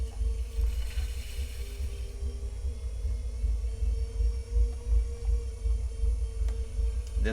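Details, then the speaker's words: Vevor $120 electric pottery wheel (25cm, 350W) centering a six-pound clay ball under heavy torque. The low motor hum swells and sags every second or so as the motor drags down and recovers, bogging under load. "I'm already uh sensing that it is slowing down just a little bit as I Center you can probably hear the sound of it slowing down and speeding up"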